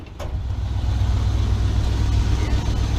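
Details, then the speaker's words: 1988 Chevy Custom Deluxe 30 V8 pickup idling in neutral with the parking brake set: deep, smooth, even rumble with no knocks, judged to sound good, though an exhaust leak is mentioned somewhere. "oh she sounds good absolutely wonderful"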